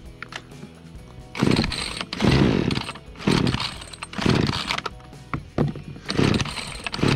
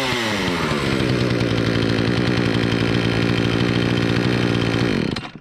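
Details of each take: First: Remington RM4620 chainsaw on freshly mixed fuel; repeated throttle bursts each flat and choked, not revving up as it should; bogging from a clogged spark arrester and dirty air filter. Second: Remington RM4620 chainsaw, previously bogging and not revving, after bar cleaning, fresh fuel, cleaned air filter and spark arrestor removal: screams to a steady high rev without bogging, running like a healthy two-stroke.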